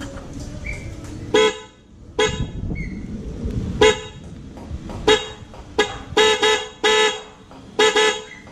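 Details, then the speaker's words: MOCC dual horn, now correctly wired with both horns connected (earlier only one was fitted): repeated short honks with a bright two-tone blare, about eight blasts in nine seconds, full and loud; the dual horn sounds right. "Ayun na yung kumpletong kabit ng busina ng ano, MOCC dual horn. So ganun pala talaga tunog niya, no."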